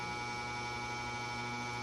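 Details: Vintage McGraw Edison box fan motor after cleaning contacts, bearings and bushings, running on low speed: steady even hum, no rubbing or ticking. It runs normally; it earlier got borderline too hot after 30-45 minutes on low.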